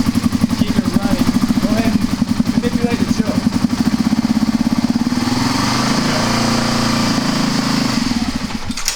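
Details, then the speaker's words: Kawasaki KLR250 single that has been very hard to start: runs on a steady thump near three beats a second, staying lit only with choke and a little throttle; carburetor suspected. "Okay, so the choke is connected. It's doing something. I'm still suspecting the carburetor."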